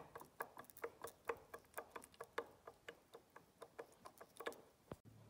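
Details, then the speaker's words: 2002 Husqvarna TE 610 engine, bare connecting rod rocked by hand: sharp metallic clicks, about four a second; the big-end bearing has roughly 1 mm of play, and side play is also large. "cea mai mare parte Cred ca vine din cauza bai la ce Asta are aproximativ joc de milimetru stai sa vedem daca puteti si voi sa auziti"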